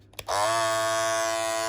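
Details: Andis Masters cordless hair clipper starts up and settles into a steady, even buzz with no rattle or chatter; normal running.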